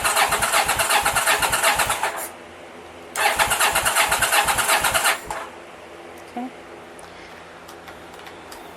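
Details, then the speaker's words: 1983 Honda VT750 motorcycle cranking on the starter button after top-end rebuild and modifications, before first start: two bursts of even, rhythmic winding at about three pulses a second against compression; normal cranking with good compression. "here's a button hear that winding that's good"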